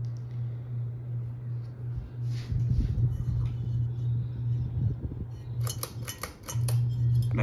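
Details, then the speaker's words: Hunter Stratford II ceiling fan, made late 2006, switched up to high-medium speed: a steady low electrical motor hum under background music and clatter, running normally. "so now we'll kick it up it's a high medium that you can really start to hear that home"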